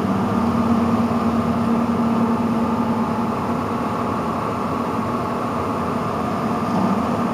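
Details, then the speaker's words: Newly installed N4H3 heat pump system at a trailer, first start-up months after setting; existing furnace blower switched on sounds very bad — steady low droning hum under rough rushing airflow, speed dropping from high to medium-low; blower to be replaced. "and oh that is the sound of a very bad blower so we are going to change that out"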